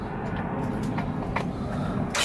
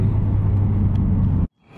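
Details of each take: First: Rebuilt Nissan RB25 engine, first start: crank angle sensor unplugged to prime oil, so the starter churns steadily at a brisk, even beat without firing; the later no-start was traced to an unattached wire. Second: Rebuilt RB25 engine at first start after installation, not yet broken in. A deep, even rumble at steady idle with no knocks or ticks before shutdown. It is running normally.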